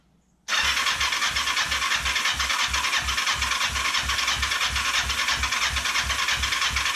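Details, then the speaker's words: Cheap Kawasaki Ninja 500 with spark and compression, choke on, stood upright: starter spins the engine at an even three beats a second, making no attempt to catch; crank, no start. "Let's see if standing it up. Oops. It's not making any attempt to start."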